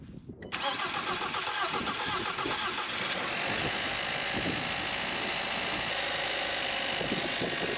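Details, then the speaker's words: 2016 Kia Optima just after high pressure fuel pump replacement, checking lines for leaks; air introduced may cause rough running at first, but engine fires straight away after brief crank and settles into a steady, even idle. "let's start it up real quick and make sure we don't have any leaks coming out of either of our lines we introduce air into the system so it will run rough at first but it should clear itself"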